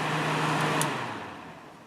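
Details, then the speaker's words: Kenmore dehumidifier fan motor, oiled and warmed after 10 to 15 minutes of running, shut off: hum fades evenly over about 1.5 seconds as it coasts down, no bearing scraping or ticking; spinning better than before. "spin down those seem to be a little bit less I know it's not going to be perfect like as if the motor was brand new but it is spinning better I think definitely"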